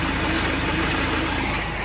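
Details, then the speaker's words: Vauxhall Vivaro 1.9 diesel idling after gearbox refit and bleeding, not yet at temperature: clatter with a dull rattly undertone from the gearbox; owner suspects a gearbox main bearing, unconfirmed. "Can you hear the noise? That sounds like a main bearing in this box. Probably why it came out in the first place."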